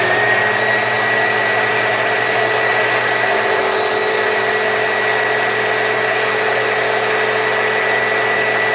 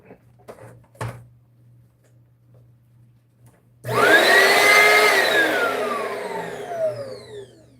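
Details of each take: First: Vacuum, motor whine steady and even with a constant high tone and no slipping or slapping after checking the brush roll belt, which had been slipping off; belt now driving properly. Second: Upright vacuum cleaner switched on for testing: motor whirs up to a high whine and settles into a smooth airy rush with no brush slap, as if the brushroll isn't turning; probably a broken belt, not yet confirmed.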